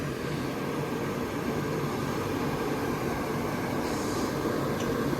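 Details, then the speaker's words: Gas furnace bench-tested on portable lithium battery power and its own gas, checking a suspected fan motor or voltage drop: steady rush of air and fan hum with no knocks, rattles or squeals; running normally. "I am the thermostat go ahead and uh hit it man it's running like a champ right now"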